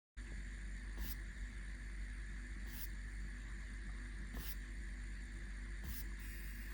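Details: Replacement reMarkable Paper Pro e-paper tablet while scrolling a PDF: faint, steady high whine under a quiet hiss with soft ticks every second or so; coil whine, noticeably quieter than on the returned original unit.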